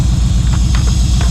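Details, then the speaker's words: 2016 Chevy Silverado with exhaust off, no coolant, boosted from a dead battery: loud, steady, deep rumble with even firing and no misses, knocks or stumbles; running normally. "I do have the exhaust off too, so it's really loud, but it's actually running because it's only running for like a few seconds before. Now it's not too bad."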